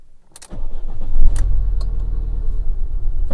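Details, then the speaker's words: Engine after new coil pack, plugs, secondhand coil, leads and throttle parts, manifold nuts tightened, fault codes cleared: catches into lumpy uneven idle with deep irregular beat; still running rough, cause unknown. "oh it's gone back to where it was still rough running"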